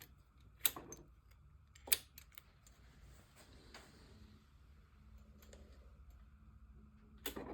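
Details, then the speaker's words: BMW R1200C motorcycle, key on: sharp irregular clicks from inside the fuel tank with no usual pump whirr; swapping relays and fuses made no difference; failed fuel pump, replaced. "And there's definitely that clicking sound that we can hear is coming from inside of the tank."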